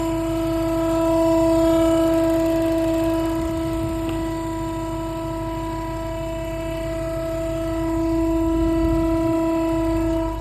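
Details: 2017 Dodge Charger SRT Hellcat: loud steady tone with many even overtones over the engine, holding pitch throughout; strong whine, source undiagnosed.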